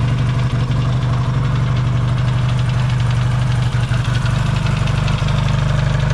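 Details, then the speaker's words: Yamaha XS650 twin after fixing its burning-oil problem, cold start in an unheated shop: steady, even low thump about three beats a second, no stumbling or knocking; healthy warm-up, no longer smoking. "and I'll uh yeah I'll let it warm up and we'll show you that it's not smoking anymore and things are good to go"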